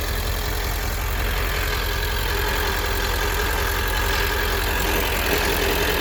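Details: 1999 Ford F250 7.3L diesel, ZF6 manual, shift boot removed: steady low drone with a loose, uneven rumble pulsing about three times a second, only in gear under load in first and second, same in 4x4 low or 2WD, none in neutral; driveline noise, cause unknown.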